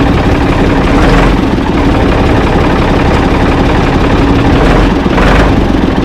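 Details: Ford 445 tractor, owner thinks a 1970s model, restarted with owner aboard: steady low chug at even idle, no knocks or misses; engine healthy, though drive in forward and reverse quit, owner suspects linkage.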